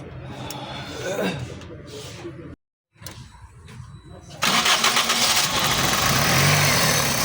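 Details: Engine with a no-crank/no-start issue involving the crankshaft position sensor: after a few tries it cranks, catches and settles into a steady idle without stumbling; it starts and runs normally.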